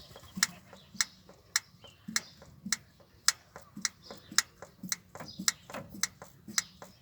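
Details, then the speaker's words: 1962 Land Rover Series 2a 109 during rebuild, engine off: electric fuel pump ticks sharply nearly twice a second but no fuel comes through. "It was working earlier. I don't think I've got to bleed it or anything. That's an issue, isn't it? Nothing coming through."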